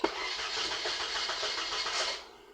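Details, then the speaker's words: 2006 Toyota Corolla with newly cut key: steady rapid starter churning for about two seconds that never catches; crank no start because the immobilizer rejects the unprogrammed key, fixed by cloning the owner key's chip. "So as you can see, the new key, unlock it, but it will not start because it has not been programmed yet."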